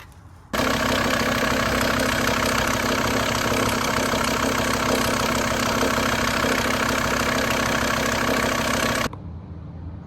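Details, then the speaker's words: VW T4 van after a belt and parts change: it still idles with a harsh, clattery rattle and knocking, "like a bag of nails". Owner suspects a worn engine mount and crank pulley rubber; unconfirmed. "so being impatient I've put it all back together and as you can hear it's still running like a Bag of Nails so you can hear the engine knocking about"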